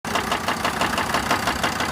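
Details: SsangYong Rexton after a no-start, jump-started: sharp, regular knocking about four times a second over a rough idle, like piston noise; internal engine knock, source unconfirmed.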